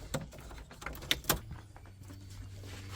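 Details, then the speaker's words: 1990 Nissan 240SX with R34 RB25DET swap, new fuel pump just installed in tank, clamps tightened, lid off: a few clicks then a faint steady hum as the pump primes, no leaks; normal fuel pump priming. "we hear it running no leaks clamps are tight all right we're good"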